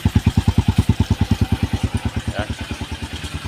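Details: Honda XR150 after a CDI replacement fixed a hard start caused by lost ignition power at the coil: even, regular single-cylinder thumping at about two and a half beats per second, steady and slowly settling; idles cleanly.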